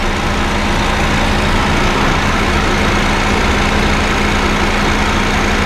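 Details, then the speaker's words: Honda Fit GD3 idling with the AC on, after adding Power Aircon additive via the low-pressure port: a mid-low compressor hum persists but is improved and beginning to fade, with no knocking. "まだ少し鳴ってますが、ちょっとマシです、ね、あ、音消えてきました。"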